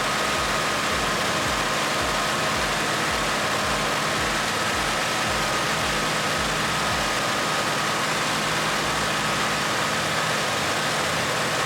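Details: 1964 Mercury Montclair with rebuilt Ford FE 390 V8, new cam and intake, first run in 40 years: smooth, steady idle held noticeably fast, no misses; idle needs turning down.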